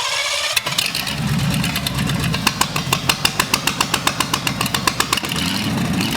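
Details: Abandoned Cadillac 331 V8 run on the floor, fed from a small fuel tank after plug, wire and points work: catches after coughs and settles into a quick, even exhaust beat; runs well, with the spider-webbed carburetor working fine.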